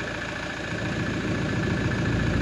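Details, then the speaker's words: Toyota Hilux LN106 with a swapped 1KD-FTV diesel, restarted after topping up fluid. Steady diesel idle with an even low rumble and light clatter, nothing irregular; healthy normal idle. "she sucked it back down again it's odd hearing this noise from this old car"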